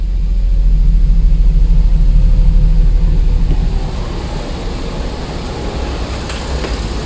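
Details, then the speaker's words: Perodua Viva that shakes, engine and body, only when driven at about 40 km/h: at idle the engine runs steady with an even low rumble and no rough patches. Engine mountings were checked and are good, so idle is normal. "Steady dia punya engine. Tidak ada masalah."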